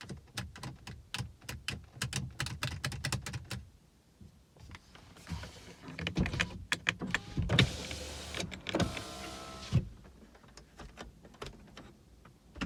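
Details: BMW E90 335i after new battery installed, won't start: rapid even clicking for about three seconds, then faint whirring, no crank; electronic steering lock (ELV) fault needing reset.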